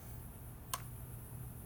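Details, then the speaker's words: Monkey turn signal relay just replaced with new plug-and-play unit, tested before reinstalling. Single crisp click in nearly two seconds over quiet hum; slow, even flash rate as it should be, normal relay clicking. "There it goes. Now it's slow again, or slow like it's supposed to be."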